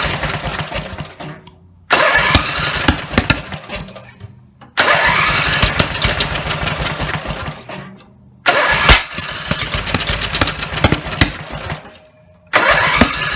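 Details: Rebuilt Briggs and Stratton 17HP (carb rebuilt, plugs, sump, oil slinger, gaskets replaced, valves reseated) roars at high revs a couple of seconds then cuts to silence, repeatedly; won't idle; owner suspects the throttle linkage lever isn't resting on its screw.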